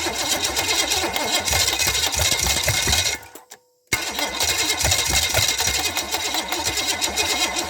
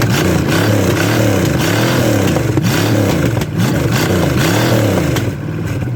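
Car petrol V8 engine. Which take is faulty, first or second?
first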